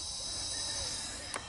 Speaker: what's happening is you know you have to break in an engine so you might be getting a little uh leakage past the rings until they seat and whatnot